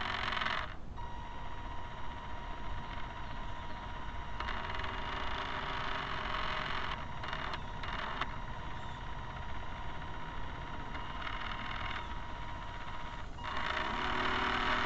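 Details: Camera barge first test run: electric drive whines at a steady high pitch over a loud, uneven rattle from the shaft line; excess noise from dog-bone motor-shaft couplers, to be replaced with flexible hose couplers.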